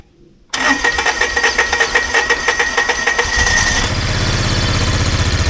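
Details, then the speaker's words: 2004 Kawasaki Mule revived after sitting for years: engine cranks, catches and idles well, with a thin steady high screech over it; owner suspects it comes from inside the belt cover. "so it seems to be running and idling pretty good but we have this God awful screeching noise that sounds like a pissed off mouse in there so s sounds like it's coming from the belt"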